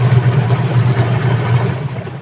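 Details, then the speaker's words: Sharp Gigawash Jr washing machine after gearcase replacement for noisy spin (pulley was noisy when turned), water-filled test: smooth low steady hum, strong spin, no grinding or rattling, noise gone; only a small hose leak remains. Normal spin. "So ayun guys ha dito sa ginawa natin wala naman ng tagas so okay na at malakasang ikot oh wala na yung maingay tagaling ang tiba mo."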